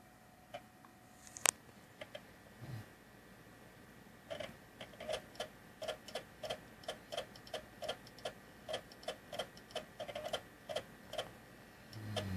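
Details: Xbox console: light sharp clicks repeating steadily about twice a second in a quiet room, mechanical tick from inside, cause unknown.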